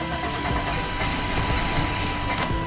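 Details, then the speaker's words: 1998 Chevy Vortec after 10 years not running, with a new fuel pump fitted: the starter grinds it over with uneven, sputtering catches, firing on some cylinders but never picking up. The cause is suspected, not confirmed. "it's still hitting but it's not uh it's firing on some of the cylinders it sounds like"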